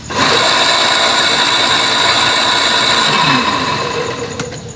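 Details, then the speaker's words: Water pump with separated impeller, tested before disassembly and bearing replacement; motor spins up to a loud, rough, buzzy whir then winds down, running but sounding different from normal, abnormal running noise. "So mandar siya. So iba yung tunog niya."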